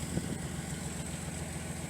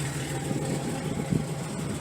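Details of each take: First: Datsun 280ZX idling with a new aftermarket muffler: a steady, even idle with a deeper, fuller note than the stock muffler, not overly loud. Runs smooth and healthy. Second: Datsun 280ZX, first startup with the muffler removed so the exhaust runs open: a loud, raw, unmuffled low idle rumble with an uneven burble. Owner finds it not that bad but expects it to drone inside and plans to fit a muffler.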